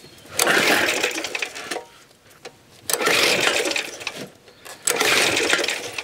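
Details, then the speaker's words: Suffolk Super Punch/Colt lawnmower (75G14-25A) after basic maintenance, cold winter day: three whirring pull-start cranks with no firing; no start, no spark, points gap suspected and rechecked. "Nothing. This would be a much more fun job if it had a starter motor."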